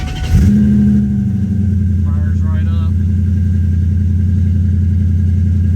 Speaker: It idles down rather quick. After about 10 seconds, the idle goes down to about 800, 900, and it just purrs like a kitten.